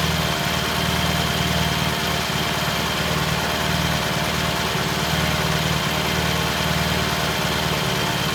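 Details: 1968 T100 vintage British twin, first start after a new battery was fitted: steady, even idle with a regular beat, holding speed on its own, no misses or knocks. Timing was checked and found dead on, mixture good. Normal idle.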